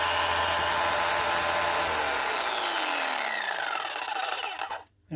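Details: Arbortech Allsaw mortar saw after dropped, slipping drive belt was reset and tensioner pulley tightened: smooth, even high motor whine with no slipping or chatter, then clean wind-down when switched off; running as it should.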